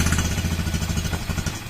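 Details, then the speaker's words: Honda CB after an engine overhaul, started cold; before the overhaul it rattled loudly inside. Steady, even low thump at idle with no knocking or rattle; now quiet, unlike before. "Yan, tahimik na siya. Hindi na siya gaya ng dati."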